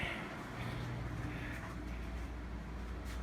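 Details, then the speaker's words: Furnace blower after replacing the fan motor and capacitor and correcting reversed wiring: steady, even rush of air over a low hum, no rattle, scrape or wobble; normal blower operation. "i think i hear it blowing now oh yeah i feel it"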